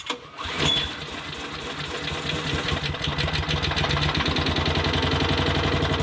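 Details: Modified lawn mower, freshly finished with oil added and blade guard refitted, first start: catches on the first pull, settles into a steady even putter that picks up smoothly; starts and runs cleanly.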